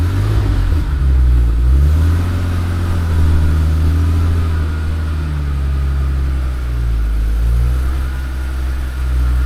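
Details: 1980s Hartge-tuned E34 BMW 5 Series barn find: starts on the button, pulls steadily as revs rise and settle, deep smooth note, no knocks or misses; normal start and rev.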